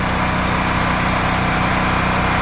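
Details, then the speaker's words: Gas generator APU newly mounted on a Kenworth W900L truck, first run: an even, steady engine drone with a constant buzzy hum and no surging or knocking. It runs smoothly and is quieter than a diesel generator. "pretty smooth for a first run. Needs zero braking, but pretty quiet compared to a diesel generator."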